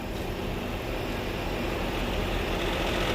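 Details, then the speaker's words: 2011-2019 Ford Explorer idling in Drive: fast, loose tapping rattle over the low rumble that goes away in Park; cause not stated in clip. "that sound comes back a lot of times this sound will be in a tap form or it will be in a constant vibration tap sound like this"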